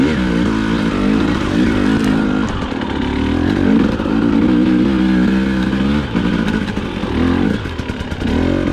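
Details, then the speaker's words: KTM/Husqvarna TPI two-stroke at low rpm, light throttle: uneven stumbling, surging sputter making smooth riding hard; faulty crankcase pressure sensor suspected, not confirmed. "range and so in the footage here you can kind of hear how it's affecting how my bike runs it's really just a sputtering mess download it makes it pretty difficult to ride smoothly"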